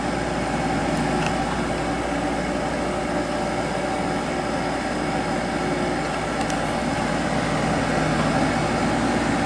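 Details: Sharp 8,500 BTU window air conditioner from 1997 running on high; steady fan rush with low even motor hum and faint long-standing bearing drone, still cooling perfectly; mild fan motor bearing noise.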